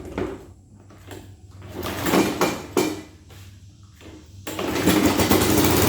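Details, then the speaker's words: Toro push mower with Kohler XT675 engine, loose engine with possibly sheared mount bolts, auto choke not working: uneven, lumpy beat with surging and rattly shaking; running rough, owner suspects the carburetor. "hey no i don't like that that thing's running rough pull that engine pull that carburetor"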